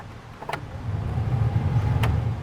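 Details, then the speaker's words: 2001 Jeep Wrangler blower motor that fails in cold weather, now warm: low hum spins up to steady whir when the switch is wiggled; owner suspects a poor contact in the three-speed fan switch and will replace it. "in my other videos I was showing that it's not the blower is not working in cold weather and I can actually see it to repeat a little bit right now so that's working it's actually warm right now but that one's not but I can wiggle it and get it"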